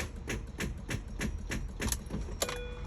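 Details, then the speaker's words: 2003-2008 Mini Cooper S with no-crank/no-start fault, starter relay bypassed, fuses and relay checked good: slow, laboured cranking at about three turns a second that never catches; weak battery gives not enough power to start. "I have to connect the battery because I got a weak battery, so let me try to connect this so I can get some juice."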